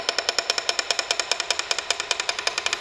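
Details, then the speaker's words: Non-running gasoline engine turned by hand: sharp, ringing metallic clacks with no combustion behind them. This is rod knock from a worn connecting rod bearing. "hear that noise and watch when I turn the engine you hear that noise that noise is a rod knock basically your car will be idling you'll hear"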